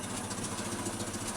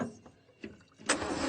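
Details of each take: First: Land Rover Series 2 four-cylinder that sat for years in a paddock, just restarted: even, steady idle with a soft regular beat, no smoke, knocks or rattles, running smooth. The carburetor likely still needs a kit. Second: Land Rover Series 2A left sitting several years in a paddock: about one second of cranking between quiet gaps with no firing, crank no start, while struggling to get fuel into the carburettor bowl, fuel tank issues suspected.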